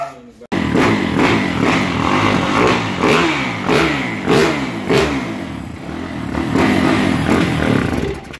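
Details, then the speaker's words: Yamaha YZ450F kick-start single thumps into life and revs in uneven surges, then fades; it runs only with fuel poured into the throttle body, and a clogged injector is suspected. "kung mapapansin niyo umaandar siya kasi nilalagyan ng gas sa may throttle body kaya umaandar"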